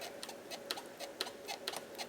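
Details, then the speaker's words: 2010 Ford Fiesta 1.6 Zetec S, rear axle levered with a bar: sharp creaking clicks about twice a second, little visible movement; worn, cracked rear axle bushes creaking, due for replacement. "a moment ago I actually just did this and actually got it squeaking I don't know if you're going to get it on camera let's give it a go okay yeah you might be able to hear that"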